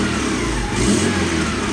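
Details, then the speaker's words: 1995 Honda Accord, engine revved lightly: note turns raspy and puffy with a sharp chuff up front, suspected exhaust manifold leak; exhaust being replaced to fix a major leak and poor gas mileage. "like an exhaust leak right there somewhere sounds like a manifold has an exhaust leak now"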